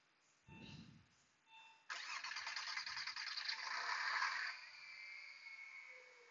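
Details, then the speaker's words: 2000 Porsche Boxster, manual, first start in neutral after intake manifold and starter replacement: short starter whir, then catches cleanly into a steady, even idle with no misses or knocks, slight smoke; normal start and idle. "right, current is running. Let me quickly check for any leaks or anything. We have a little bit of a smoke, not much."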